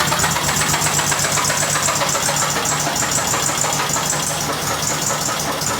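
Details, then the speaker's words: VW Fusca (Beetle) with freshly rebuilt engine, warming up at idle: loud, rough, rattly clatter about four times a second, audible from inside the car, sounding like knocking, with new vibration up top; cause unknown. "já dá para ver gente já de dentro do carro de tão alto que tá o barulho"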